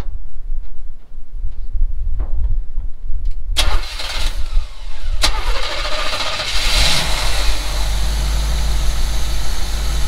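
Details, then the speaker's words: 1952 lowered vehicle that sat almost a year, started after replacing a clogged fuel filter, with the gas pumped a couple of times on a cool, windy day. A few seconds of cranking, a clean catch, then a steady, even idle with no leaks; starts and runs normally. "I don't see any leaks, guys. So we'll put the breather cover back on, and maybe we'll take this thing down the road. I don't think it's that cold. But with the wind. Alright guys, we're in it. It's idling, what do you think, guys?"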